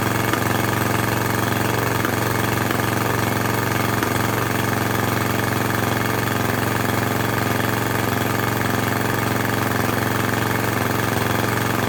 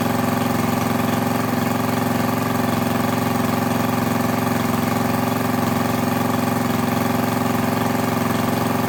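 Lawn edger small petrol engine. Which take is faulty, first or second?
first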